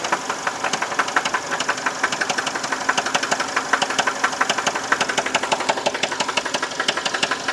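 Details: 2011 Chevy Malibu LT 4-cylinder petrol idling with a sharp, steady knock, about three a second, over a light running hum, heard after an oil change; cause unknown.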